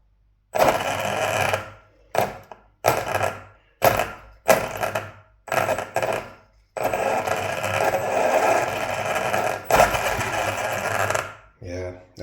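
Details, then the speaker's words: Hobbywing Ezrun Max 8 G2 sensorless ESC and motor in an RC car on the older firmware revision: repeated short throttle blips, each spinning up cleanly into an even whir without stutter or cogging. Startup is a lot better. "I'm going to upgrade it back to the new firmware revision and just see if it's still doing it but that is a lot better A lot better"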